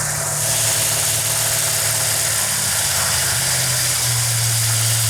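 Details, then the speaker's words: Restored numbers-matching 1968 Dodge Charger R/T 440 Magnum V8 on an engine run stand, cam break-in at about 2500 rpm then idle backed down: smooth, even idle, no knocks or misses, still slightly high; good oil pressure. "that's a good idol right there for right now it's a little high but that's okay"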